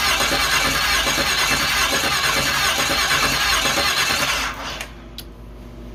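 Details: 5.3 L LS V8 from a Suburban swapped into a pro-mod rock crawler with custom stock manifolds and Canton pan, first start; cranks, catches, runs loud briefly then settles into a quiet, even idle, no knocks or misses.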